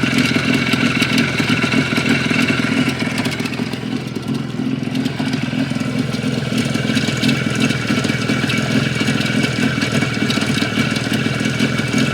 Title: Стук двигателя Юпитер 5 спустя две недели